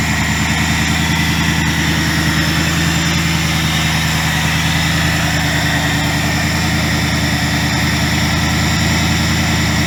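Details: 2000 Ford Mustang GT with a Lincoln Mark VIII 4V swap engine, idling after fixes for earlier sputtering (ECU board cleaned with electrical cleaner). Even, steady V8 idle with an unbroken beat, no stumble or misfire: normal idle.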